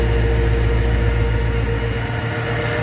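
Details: After the ticking was fixed, the car idles smooth and even at about three and a half pulses a second, with no ticking or misfire. Normal idle.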